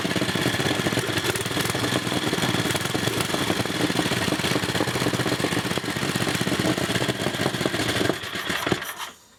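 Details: 1980 Montgomery Wards 2200 W generator with NOS Briggs & Stratton 5 HP block swapped in, test run: quick, steady single-cylinder chuffing under loud exhaust bark, no grinding, knocking or smoke; runs normally.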